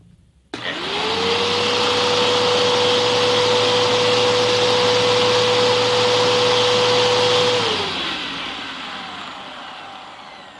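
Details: Bissell Powerforce vacuum after cleaning, rebuild and bearing upgrade, power-on test; motor spins up to a smooth steady whirr, holds evenly, then winds down cleanly. Healthy running.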